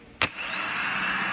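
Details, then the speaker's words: Known-good used starter and solenoid bench-tested off the car; sharp solenoid click, then a steady high whir spinning up cleanly and holding; normal starter operation. "okay so you see that all right that's what a good starter and good solenoid should sound like and act like"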